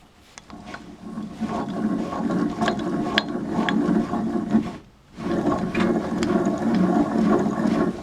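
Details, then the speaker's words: Wheel hub turned slowly by hand with a wrench while still bolted to the strut: rough, gritty growling on each turn, with the tire magnifying the sound; the wheel bearing is completely worn out. "So you hear that growling, me just turning it with the wrench, while with it bolted to the strut, the tire magnifying everything, there's no question this wheel bearing is bad."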